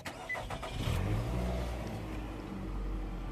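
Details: 2008 Nissan Altima smart-key push-button car that previously would not start, after replacing the faulty brake pedal switch above the brake pedal; short crank, catches within a second, smooth quiet idle; now starts normally.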